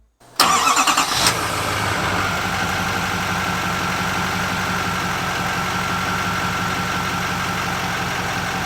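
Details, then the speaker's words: 2024 GMC Sierra 2500 AT4X Duramax L5P diesel, 10L1000 transmission, new turbo, not yet tuned, check engine light on: engine catches and settles to a steady idle under a strong, loud, airplane-like high whistle; normal idle with loud turbo whine. "Wow. Sounds like a airplane. I think the new turbo car really changes the sound of this truck. By the way, it is really, really loud."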